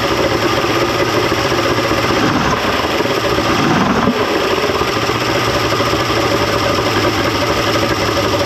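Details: 1995 Mercury 200hp XR6 Blackmax two-stroke outboard, after timing adjustment and clearing carb jets: steady even idle, no misses or surging, stable; runs much better than yesterday, normal idle.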